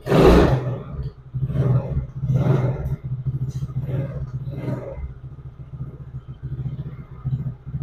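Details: 110cc Chinese ATV single-cylinder after the intermittent-spark repair. Steady low putter at idle that picks up cleanly on throttle blips; running normally.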